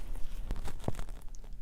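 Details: Bicycle wheel spokes flexed by hand: sharp dry metal clicks where worn crossed spokes rub, also heard while riding even without pedaling; fix is thin lube at each spoke cross.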